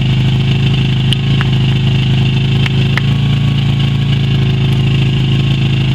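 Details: Yamaha Virago XV250 V-twin after 6 years in storage, old tank fuel black, carb primed with squirted petrol; steady low idle with loping beat and occasional stumble while stale fuel clears from the carb.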